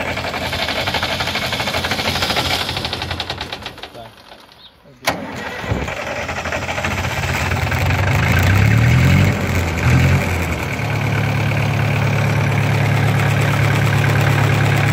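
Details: Massey Ferguson tractor diesel, cold start after heating the glow plug: long labouring crank fades, then the engine catches with a thump and settles into a rough, clattering idle; a reluctant cold start.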